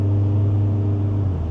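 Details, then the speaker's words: 2005 Honda Accord CM7 on a test drive after a steering repair, new BC Racing coilovers and alignment: steady low road and engine rumble with no suspension clunks. Rides much smoother than before with the bad coilovers. "so much smoother you know it would have stopped clunking already"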